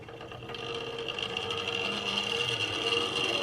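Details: Wrenn R1 class locomotive, Southern green no. 1127, Hornby-era 1968 mechanism, before servicing, drawing about 500 milliamps: thin whirring motor buzz with an uneven rhythm that catches now and then; running rough and sticking, magnet recharge and servicing planned.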